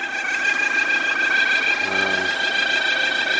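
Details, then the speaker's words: 2006 Suzuki Forenza freshly started at idle: steady high-pitched squeal that the owner suspects is leaking exhaust gaskets; no power, won't rev past about 1000–2000 RPM, no check engine light; it turned out to be two clogged catalytic converters. "I think the exhaust gaskets are leaking and it makes a squealing noise when you start it and it has no power"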